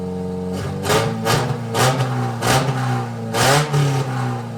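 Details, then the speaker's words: Prerunner arena truck being readied for the fair: fast raised idle with throttle blips; high idle because vacuum lines, including the main brake booster vacuum, are unhooked, otherwise running pretty good. "It's idling really high because I don't have any of the the vacuum line stuff >> hooked up."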